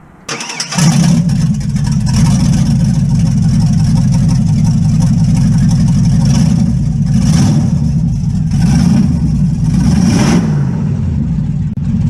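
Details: LS-swapped 1957 Chevy Bel Air wagon catches after a brief crank and settles into a deep, steady, slightly lumpy V8 rumble, running for the first time with its new fuel pump and key switch, on temporary fuel.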